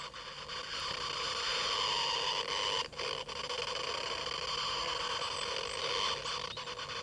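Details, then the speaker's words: 1966 Philips EE08 kit two-transistor AM radio, newly built, tested in daytime: steady high whistle, hiss and hum shifting while tuning, no station; cause unclear, possibly oscillation or interference; signal passes both transistors. "Well, there's a lot of hum as you might be able to hear and whistling. It's definitely tuning through different frequencies."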